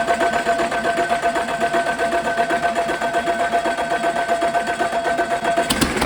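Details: Caterpillar 3406E haul-truck diesel, rebuilt and re-engineered for a different application, first shop-floor test run after fuel priming with zero active codes: even, steady clatter with a fine regular pulse, no knocks or misses; idling healthily.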